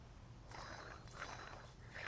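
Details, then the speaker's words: Lincoln Aviator wheel bearing, removed hub turned by hand: quiet, rough grating in uneven bursts, a growl bearings shouldn't make; worn wheel bearing growl. "That's the growling. Oh, you hear that? Bearings are not supposed to sound that way."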